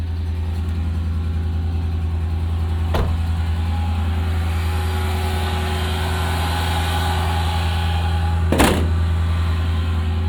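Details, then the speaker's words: Mercedes-Benz ML55 AMG V8 idling with a deep, steady, even rumble and no misses or knocks; it idles fine but falls flat under throttle when driven, cause not yet found. "right and frustratingly as you guys can hear it idles beautifully and this is how it's been the entire time I've had it"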